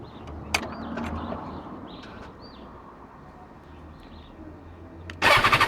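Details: BMW S1000XR: pressing the starter gives only a fast, even machine-gun rattle, roughly ten clicks a second, and the engine never fires; rapid clatter while cranking, no start.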